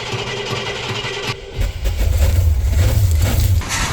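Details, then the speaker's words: 1968 Cadillac Eldorado, sat 20+ years, first start on fresh gas: brief crank, then fires and settles into deep, steady low burble, no knocking or misses; running smooth. "Whoa! Holy cow! Oh, you done? That was running smooth."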